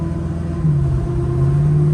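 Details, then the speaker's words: 1964 Chevelle wagon, aluminum 6.0 L V8, Gearstar 4L60 automatic, on a test drive: steady low drone under road rumble with a humming tone rising while driving; original 10-bolt rear differential bad ring and pinion howling. "I don't know if you're going to hear me over the howl."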